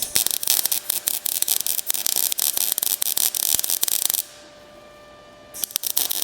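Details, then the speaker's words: MIG welding thick steel running-board supports on a 1956 International COE truck frame, set hot and fast: harsh irregular crackling and popping where a gap in the joint is bridged, softer once filled; crackly weld from joint gap. "There's a bit of a gap here. So, that's the sound you're hearing. Here I sound softer and less crackly because I'm filling in the gap."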